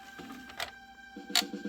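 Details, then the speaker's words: Sega CD Model 1 drive after repair, during sound test: thin motor whine, two sharp clicks, then rapid stuttering buzz of about eight pulses a second; laser sled grinding persists, possibly parts bent after pieces snapped off. "Yeah, see, you hear that grinding again. That's just not right. There's still something very funky going on here,"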